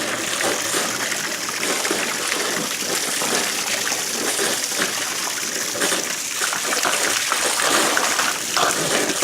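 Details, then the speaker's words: Pool return line (2-inch PVC) at pool opening, just after the pump was primed: continuous splashing, sputtering water rush with uneven surges and spits as a lot of trapped air is pushed out. "you really hear that one gurgle huh and these just actually keeps shushing and don't don't get affected there this lower pressure until everything picks up again that's a lot of air folks"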